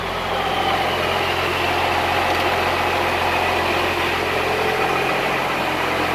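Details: Cummins-swapped squarebody Chevy diesel truck started after installing dual plastic fuel tanks with one filler neck: steady, even diesel idle with no stumble or hunting, settles smoothly, doesn't seem lacking in fuel; normal idle.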